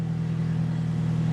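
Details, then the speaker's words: 2006 Nissan X-Trail with service engine soon, 4WD and ABS lights on: steady low drone with a raspy, puffing edge at idle, suspected exhaust leak not yet pinned down; ABS/4WD lights traced to failed left front wheel speed sensor (C1104). "but first and foremost sounds like it's got an exhaust leak first and foremost we're going to scan it and see what the controllers have to offer for codes"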